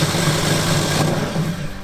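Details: Car deliberately hydrolocked by injecting water into the intake while driving: a rough, clattering run with uneven low thumps under the engine drone. Water ingestion has broken the connecting rods, and parts were expelled from the engine.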